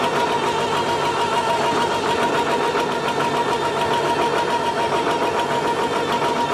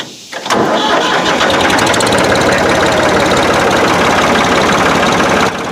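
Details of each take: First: Old diesel tractor with a 1066 transmission housing and a brand new MCV pump, just started at rough idle: thin steady high whine holding pitch; suspected MCV pump gear pitch mismatch with the housing, not confirmed. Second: Old equipment starting first try and settling into a loud, steady full fast idle with an even beat and no knocks; sounds healthy.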